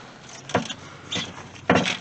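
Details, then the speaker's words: 2000 Dodge Durango, about 162,739 miles, body being rocked: three hollow clunks about a second apart; the loose underslung spare tire is shaking in its carrier. It is to be tightened back up and rechecked. "all right before we get down there i'm willing to bet it's the spare tire shaking loose"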